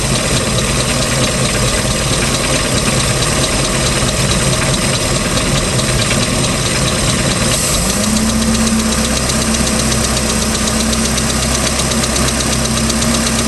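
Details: 3.0L MerCruiser boat engine, ticking began at start of season, second owner, history unknown. Light, fast ticking rides over a steady idle and rises with revs; cause unknown.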